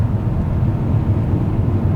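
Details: Audi D2 S8, 4.2-litre naturally aspirated V8, about 160,000 miles, cabin at 60 mph: steady low road and engine drone with no rattles or squeaks, only some wind whistle the driver suspects is a failing door seal.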